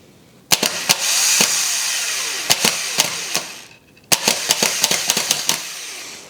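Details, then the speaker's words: BMW E46 starter (car with a swapped-in M52B28TU engine) tested by jumping the solenoid with a screwdriver: two bursts of high, fast whirring with sharp crackles, so the starter works. The no-crank fault was a forgotten unplugged connector. "Ground right here, and then right there, and then we're going to activate the solenoid with a screwdriver, like so, and this starter still works."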